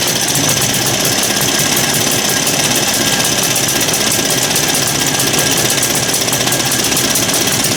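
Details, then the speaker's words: Lauson small single-cylinder engine, possibly flooded, with spark: harsh, clattery running with uneven, ragged beat; running rough, owner suspects dirt in the carburetor. "well sounds like it's got some dirt in the carburetor"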